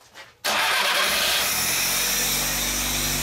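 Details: 1202 STW petrol engine started after fresh petrol was added and fuel was heard flowing: it catches quickly after cranking and holds a steady, smooth idle with no knocks or stumbles. Normal idle.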